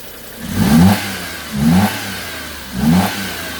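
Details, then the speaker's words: Daewoo Matiz after service, three throttle blips: loud hollow intake roar because the air filter housing isn't seated properly; owner also suspects a squeaking alternator. "but that's the only option that SS like I haven't got the air filter back on properly"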